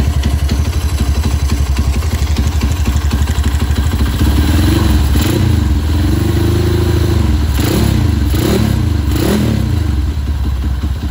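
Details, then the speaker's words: Honda CB single-cylinder after scratched piston was sanded and the cylinder rebored: steady idle thump with a few quick throttle blips, no knock or tick, engine now quiet and smooth. "Dan alhamdulillahnya udah nggak berisik ya, udah halus. Nih kita coba nyalain nih."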